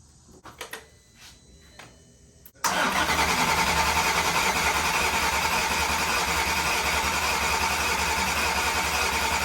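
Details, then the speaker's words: VW MK6 GTI with swapped 3.6 VR6, first start after rod bearing replacement, jump-started: engine catches at once and settles into an even, steady idle with no knock or tick; sounds good. "but it sounds good idling really nice"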